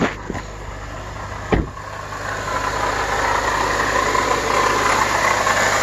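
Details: Acura TSX at idle after a new belt tensioner and serpentine belt: a steady whirring chatter of about three pulses a second over the engine. Points to a damaged water pump (possibly the power steering pump), later replaced.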